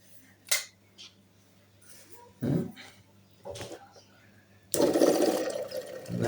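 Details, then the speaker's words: Home water filter machine, repaired water control pressure switch: sharp click as water pressure closes the switch, then pump motor starts with steady hum; switch cuts off if line water fails; working properly. "ආයෙ on කරනකොට අන්න ටික් ගාලා ආයෙ switch එක. එතනින් වතුර ඇතුළට ඇවිල්ලා පීඩනයට තමයි මෙතන ඔන් වෙන්නේ."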